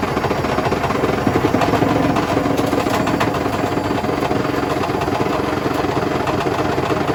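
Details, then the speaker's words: Hotpoint BHWMXL145 washing machine on a test spin heading toward 1400 rpm: loud, uneven thumping and rattling during the fast spin, heaviest in bursts midway, as the drum slams around on a broken spider with two snapped arms. "wow that's insane I don't think the Bosch was as bad as that when I first got it as early one arm the snapped was clearly this one two arms are snapped"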